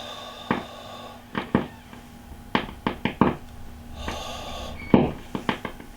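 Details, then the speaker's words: Fender Hot Rod DeVille valve amp with loud crackling; breathing gently around the V2 valve base brings irregular sharp pops and crackles over a quiet hum, suspected leakage across the valve base, unconfirmed. "hear that increasing popping and cracking"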